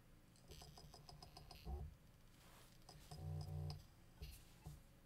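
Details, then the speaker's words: Seagate IronWolf Pro enterprise NAS drive, built for up to 24-bay RAID and not designed to be quiet, recorded on a separate mic with noise slightly boosted in post: quiet whir, quick ticking and short chirps as it spins up and calibrates; normal. "so again that noise there get used to it now bear in mind of course these drives are going to be as mentioned in that large-scale raid environment so they are not designed to be quiet"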